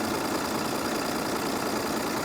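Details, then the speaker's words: 1993 Dodge D350 dually, turbocharged intercooled 12-valve Cummins diesel, first start after sitting 15+ years in a swamp: dense even diesel clatter at idle with loose metallic rattle over it; owner suspects worn motor mounts, unconfirmed. "she's going to need motor mounts oh my gosh she's rattling"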